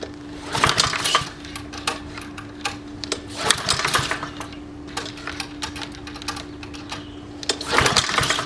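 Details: Free roadside lawnmower with a Honda engine, pulled cold just after the fuel valve was turned on. Repeated pull-cord rattles and brief sputters never build into a run: cranks but no start.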